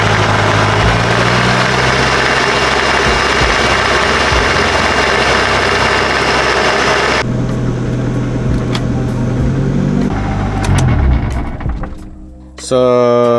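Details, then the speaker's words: Proton Saga 4G93 in gear, noise first noticed on a trip: very loud rough engine and drivetrain roar with harsh grinding and whine; gearbox has oil, owner suspects a bearing or gear, not confirmed. "you guys heard the noise it's very loud I don't know what it is might be bearing might be the gear"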